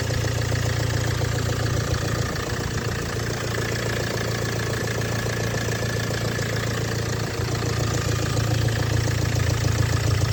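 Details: Steady cold idle with a light, fairly quick knock on top, about three or four per second; the source is not identified. Cold start knock.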